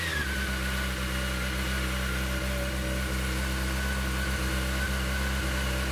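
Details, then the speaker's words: 2006 Honda CBR600 after fuel pump replacement, first start after the pump primes: a steady, even idle with a smooth low drone, no bangs or odd noises; it ticks over healthy. "gone bang hasn't made any stupid noises and it's ticking over mark savage so that is amazing"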